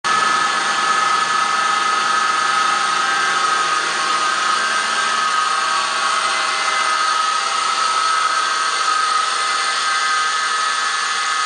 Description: There is a whining noise coming under the hood in this toyota 4runner 2003 V6 1GR engine.